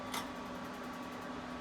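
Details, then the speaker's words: 2019 KZ Sportsmen Classic 190 BH RV furnace calling for heat: fan starts at once, burner lights a few seconds later with a short sharp tick, then steady blower hum; normal ignition cycle. "When it's calling for heat, the fan will come on immediately, but it takes a few seconds before the burner actually lights up."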